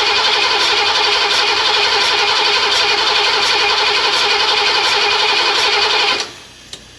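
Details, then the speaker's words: Ford 302 V8 in an Econoline van that sat for years; #5 intake pushrod had bent, owner suspects a stuck valve. After fitting a new pushrod, compression-test cranking: steady, even pulses, no skips. Cylinder reads about 140–150 psi with rocker installed; valve sealing normally. "almost 150 that time 140 140 550. so that tells me that the cylinder the valve is ceiling with the rocker arm installed there that's that's good"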